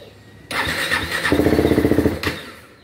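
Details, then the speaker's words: KTM Duke 390 with new battery fitted, hard-starting issue: starter cranks strongly with even pulses about four per second, a few weak catches, then dies instead of running. "Ayaw pa rin mga Bossing malakas na yung redondo pero ayaw pa rin"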